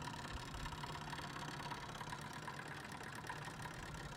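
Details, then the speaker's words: iBuyPower tower PC, mic pulled close: steady whirring drone with a thin whine and faint rapid chatter from the CPU AIO cooler, not a GPU fan. Failing AIO pump, replaced with a Corsair H100i. "that sounds terrible so my customer my customer actually thought that that was the um that was a CPU fan or not a CPU fan sorry but a GPU fan and uh wanted to uh have me you know service the GPU well that's not the CPU or GPU fan uh what that is is it's the CPU Cooler on this guy"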